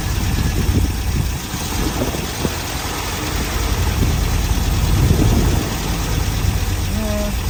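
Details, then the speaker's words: Vintage Chevy van that sat for years, running briefly on an improvised fuel and air supply: low, uneven idle with an irregular lope and no sharp knocks. Rough idle, cause not confirmed. "guess a little more idle [Music] yeah [Music] we're not going to run it too long there you go no well uh yeah a little mess there"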